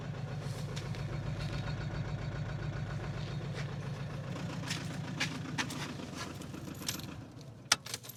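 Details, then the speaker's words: Audi A4 2.0 TDI after turbo replacement, short test drive: diesel idle with an uneven, stumbling low thump and skipped beats, misfiring at idle though it pulls better under revs and smokes. Bad injectors, compression loss or internal damage suspected. "but on idle it's still misfiring like hell. So yeah, still definitely has issues."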